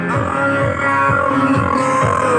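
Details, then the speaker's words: Dolphin Sound DS5A speaker before repair: music with rough, buzzy rasp on every note (hoarse/serak fault); cause a leaking capacitor in amplifier stage, both NE5532 ICs also suspected. "Nah, ini suaranya seperti ini rusaknya. Oke, saya on."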